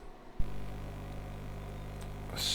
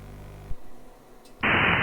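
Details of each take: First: Steady low buzz with stacked hum tones, starting abruptly and holding flat, while operating FT8/PSK31 digital amateur radio on 10 and 20 metres; RF being picked up by the Focusrite USB audio interface. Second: Amateur radio FT8 digital mode on the 10/20 metre bands, heard via voice monitor during a transmit cycle: soft hiss, then a dense, steady, warbly wash of tones across the voice range. Ordinary FT8 signal audio.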